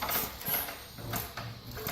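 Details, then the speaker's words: Simplicity rototiller, spark plug lead off, pull-rope turned over by hand: rhythmic ratcheting whirs with a puff each compression stroke; turns freely, not seized, compression sounds good (not measured). "Rope is in very good shape and I hear it as it strokes the compression I don't obviously I'm not measuring the compression but I can hear it"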